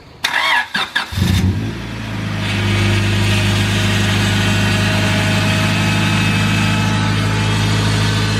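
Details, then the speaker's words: Honda Civic with freshly fitted power steering pump, just topped up: engine catches, then a steady groaning hum over idle from air in the unbled pump, easing as steering is turned lock to lock. "now when you fit a new pump there's no fluid in it by steering lock to lock it pushes all the fluid through the pump to stop that noise it's getting better there we go that sounds much better that's the power steering issue sorted"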